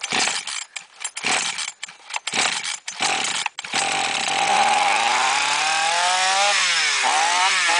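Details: Flooded chainsaw, after about half a glass of petrol was drained from the cylinder and the plug refitted, is started with throttle pressed; after a few sputtering pulls it catches and revs cleanly, running normally.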